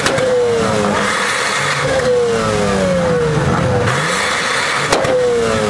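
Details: 1991 Mazda RX-7, naturally aspirated 13B rotary, stock manifold with cat delete straight-piped to mufflers, revved repeatedly to 8500 rpm limiter shooting flames: loud raspy, barely muffled exhaust with crackles; owner suspects bad mufflers, to be replaced.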